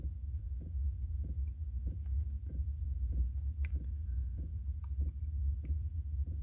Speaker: sound here is my diesel heater starting up